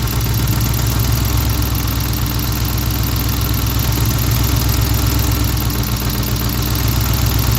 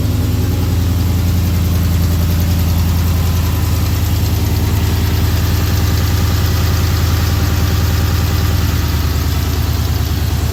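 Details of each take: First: V8 idling after an intake manifold install on a swap: the idle note dips and recovers as an open manifold port is covered. Air is felt at the port, indicating a vacuum leak. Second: Scat-swapped V8 idling after installing new intake manifold (old one had stripped screws, reading too much air); deep even idle with steady lope, no pops or stumbles that it previously had on startup; normal idle.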